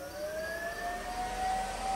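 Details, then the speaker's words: Electric engine cooling fan on a 12v Cummins-swapped truck, engine off, fed through a fused power block: smooth whine climbing as it spins up then holding steady, loud with noticeable vibration; running normally. "the fan is pretty loud much louder than I thought it was going to be and it does put a decent bit of vibration into the truck"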